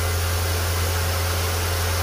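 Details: Ford Fiesta 1.6 Rocam, first start of the day after maintenance for an engine noise, with oil pressure measured OK: a steady, even low idle with a smooth hum and no ticking or knocking. The engine runs clean.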